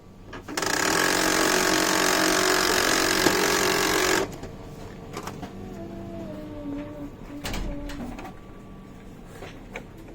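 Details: HP LaserJet M107 printer during printing: loud, harsh rattling grind for about four seconds, then settles to a quieter whir.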